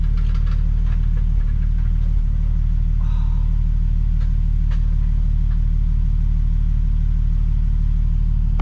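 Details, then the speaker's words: Nissan 370Z after new valve cover gaskets and spark plugs: loud idle with uneven low chuff stumbling every few beats, still an idle misfire, cause unknown. "and i think this [ __ ] is still misfire i don't know if you guys can hear that yo let me oh this is still misfiring bro"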